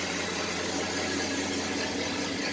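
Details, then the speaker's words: 1985 Chevy S10 2WD after swap to a 2.8 V6, first run before warm-up, no smoke: steady even idle, smooth exhaust note, no knocks or misses; some fan noise noted earlier. "exhaust sounds pretty good it's pretty smooth"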